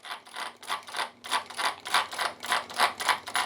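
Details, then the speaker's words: FMS FMT10 1/10 brushless pre-production truck, after front-drive loss fixed with thread locker on the grub screw, no longer free-spinning: even bursts of gear whir and ratchety clicking, about three and a half per second; drivetrain engaging the center diff properly. "Now you hear it engaging that center diff. This is exactly what you want."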